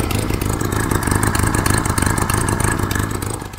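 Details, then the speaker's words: Engine idling with a rapid, uneven puffing chuff at about three per second over a low rumble: the chuffing comes from a bad exhaust blow at the downpipe. "I've got a bad exhaust blow on the down pipe down there that's why she's chuffing a bit"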